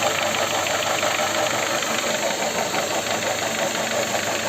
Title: Шумит и стучит мотор L13A Honda fit